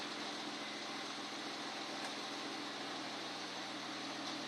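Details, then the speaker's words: Honda Accord idling after installing a Zipmotor eBay air intake and J2 Engineering catback exhaust: smooth, even idle with soft intake hiss, no knocks, ticks or misses, no check engine light; sounds healthy. "No check engine light. Sounds great."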